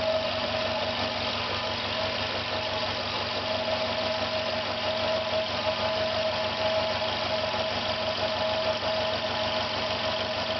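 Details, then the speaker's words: Failing air compressor with the air outlet closed, about 50 seconds after starting as tank pressure builds: a steady droning run with a sharp thin tone on top, sounding strained. One side runs much hotter than the other. "50 seconds. You can hear it's making a strange noise."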